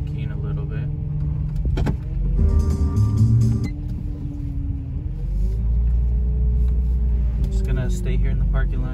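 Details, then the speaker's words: 2006 Dodge Charger R/T with a loud hum while driving that stopped when steering slightly left: a groaning whine rises and falls as the wheel is turned lock to lock; the power steering fluid reservoir was found nearly empty and needed topping up. "oh yeah that sounds bad sounds real bad it's gonna need more let's pop the hood and add more"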